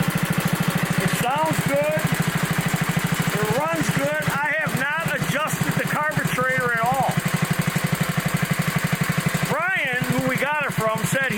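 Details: 1960s Bolens Lawn Keeper 28-inch mower, untouched at least 15 years: steady, even single-cylinder thump holding speed while cutting grass, music over it; no misses or knocks, healthy.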